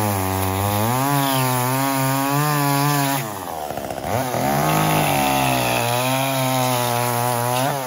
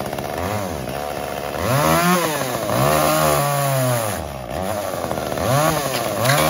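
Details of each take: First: Echo CS-345 chainsaw cutting wood after a 1/8-turn counter-clockwise richening of the carburetor H (high-speed) screw, idle T screw also lowered slightly: strong steady scream, pitch dips slightly under load and recovers cleanly, no bogging; now runs as it should. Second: Echo CS-345 chainsaw cutting wood before carb adjustment: screams at high revs, then pitch sags and labours as the chain bites; bogging under load from a slightly lean high-speed (H screw) mixture, later fixed by richening 1/8 turn.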